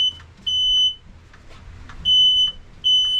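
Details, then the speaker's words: Smoke alarm set off by exhaust smoke after the 1967 Mustang drag car engine fired: sharp high beeps, each about half a second, over a quiet room. "Thanks a bunch. We're going to have to do something about these alarms."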